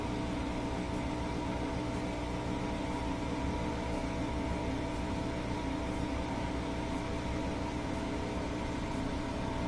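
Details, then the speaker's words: Bosch Axis washer that won't spin during a full cycle, manually set to spin at 1,000 rpm: after balancing rotations, steady even hum and whir with a faint tick about once a second; spins smoothly, so motor, belt, drain and motor control work. "So it'll probably do a couple of rotations each way to balance the load, and then it'll pick up speed. Got it set for 1,000 RPMs."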